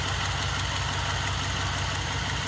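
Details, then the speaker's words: GM 5.3L LS-swapped Sub-100 with dead cylinder misfire, at idle after first start: light, even tick over low thrum, still a slight miss; owner suspects exhaust leak from broken manifold bolts. Ticking at idle. "hear a little tick but i think it's an exhaust leak just based on the fact that i have uh a couple broken uh manifold bolts in there"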